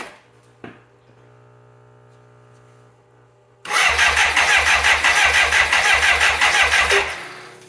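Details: 1985 BMW K100, fire-damaged and sat six years: starter cranks steadily at about three pulses a second for three seconds without catching, with the choke cable not hooked up. Crank, no start; a relay found with something loose inside is blamed.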